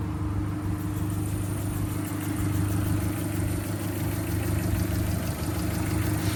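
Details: Kia, after timing and crank pulley work, finally running: steady low idle, even drone, no knocks or misses; owner notes belt squeal at cold start that fades when warm.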